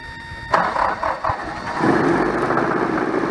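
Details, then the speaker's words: 1985 Dodge Ram 50 started after about 10 years sitting, carburetor accelerator pump faulty, alternator not charging: cranks and catches, then runs ragged with a sagging beat, fuel-starved; owner suspects the fuel pump failed or an air bubble. "sounds like the fuel pump just went out yep that's an air bubble i'm having a feeling the fuel pump just went up"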